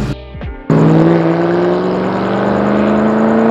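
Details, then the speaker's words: Ford Mustang GT 3V V8 after installing a Holley 300LPH drop-in fuel pump to replace the dead pump, test drive: snaps up and holds a high rev, pitch climbing smoothly without stumble or miss; running well again. "oh boy do I miss that sound yeah she's good"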